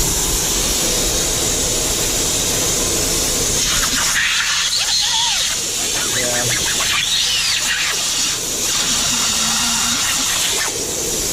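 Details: MAN truck with the brake pedal held down: continuous loud hiss of escaping air from the rear brake chamber, leaking heavily under braking; chamber to be replaced.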